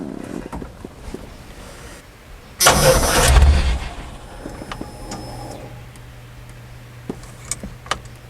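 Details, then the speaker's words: 1991 Chevy S10 four-cylinder that had sat, on fresh fuel in will-it-run attempt: brief crank, catches with loud burst and settles to quiet even idle; starts and runs normally, fuel leak suspected. "Okay, that's all I wanted to hear. It runs. Good."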